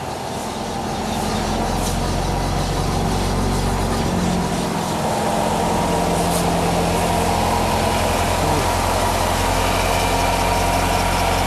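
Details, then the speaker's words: Nissan X-Trail T32 facelift with CVT, error P17F0 CVT vibration, driven at low speed warmed up; steady low drone holding pitch through light throttle, diagnosed as worn right wheel hub bearing rather than the CVT. "То есть у нас момент уже нашёл в принципе проблему тут гудит ступица правая"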